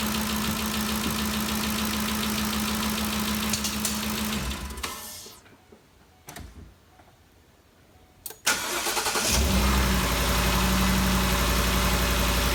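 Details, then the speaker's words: 2013 Ford Expedition after valvetrain repair: steady, even idle with no ticking, shuts off and restarts cleanly; the loud ticking heard before is gone, valvetrain quiet and healthy. "that the noise is all gone if you remember before we could hear this thing picking real loud uh it sounds real good so i think we got it fixed"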